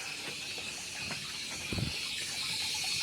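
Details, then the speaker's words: Household water pump tank with the meter valve closed: a steady high hiss of water still flowing back into the tank, so the pump runs by itself. Cause: failed non-return check valve, to be replaced. "สังเกตได้ว่าเราปิดวาล์วตรงมิเตอร์แล้วนะครับแต่ว่าน้ำมันยังเติมแทงอยู่ซึ่งเช็ควาล์วกันย้อนมันเสียครับมันเลยทำให้น้ำมันย้อนกลับมาแทงเหมือนเดิม"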